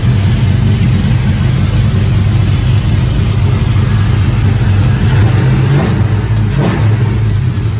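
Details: Porsche Cayenne V8 after fixing misfire from a spark plug wire laying on the manifold, possibly damaged by pressure washing: deep even rumble, no stumble or skipped beats; normal running.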